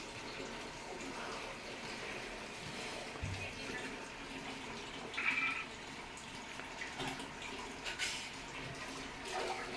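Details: American Home automatic washing machine that washes but won't spin dry (customer reports ERR error code): quiet, steady trickle and splash of water filling the tub, a normal fill with no odd noises, during testing with replacement part fitted.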